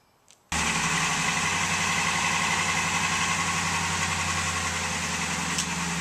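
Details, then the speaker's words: Cold start of a 2002 Ford F150 5.4L 2V V8 after timing chain, oil pump and exhaust gasket replacement: loose rattling clatter about four beats a second over cold idle; owner suspects piston slap, not confirmed. "there's only one thing left that's making this racket and that's piston slap i've heard that a lot of 5.4 two valve engines have piston slap problems"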